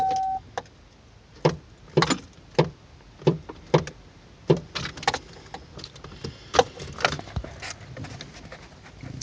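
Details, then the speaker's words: Truck won't crank: sharp single clicks about every half second, no cranking; click seems to come from the starter relay corner, owner hopes relay, wiring or contacts rather than starter, not confirmed. "starter's gone maybe i'm hoping it's just the the relay that controls the starter that's where that's where the click sound sounds like it's coming from it's up in that corner where that relay is"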